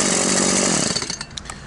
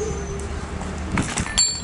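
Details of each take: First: Stihl MS 180/170 chainsaw with a non-adjustable carburetor, which lacked power and bogged as if starved of fuel. After adjusting the carburetor needle, it cuts at full revs with a strong, even pull and runs normally. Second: Stihl MS 180/170-type chainsaw with a non-adjustable carburettor, after the internal needle was adjusted to add fuel for a lack of power. It buzzes, then the pitch sweeps up and holds high and steady; power is now good but idle speed is too high.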